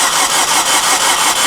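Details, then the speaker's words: 2008 Chevy Aveo no-start after coil boot oil repair: starter churns at about five or six beats a second with an odd crank rhythm and a hiss while checking exhaust restriction, with smoke appearing; blown head gasket. "Okay, Danny. Whatever we did, this head gas gets blown."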